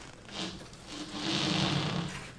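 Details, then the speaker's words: DarkAero 1 airplane pushed by hand on pavement on its landing gear: soft swelling squeaks from tires canted inward, a designed toe-in angle measured and confirmed. Normal tire scrub squeak from toe-in. "so we actually measured the tone angle and confirmed that we had that all designed in the cad world but it's nice to confirm that in the real world once we built this whole thing up and see that that toe toe angle is actually there and then you can also hear it when it squeaks on the pavement"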